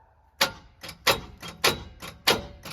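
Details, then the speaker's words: Truck on 44-inch Boggers after blowing its motor mudding, possibly hydro-locked, cranked at the key: sluggish, uneven whooshing puffs about twice a second, sounding weak but turning. Owner suspects a bent valve. "Oh, it sounded so weak, but it's turning. Go again. It's turning. How is it turning?"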